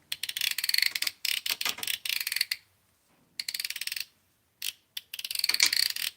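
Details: Aftermarket drag clicker just added to a Daiwa Tatula baitcasting reel: bursts of fast, crisp, even ticks as line is pulled, pausing and resuming cleanly; drag clicker working properly.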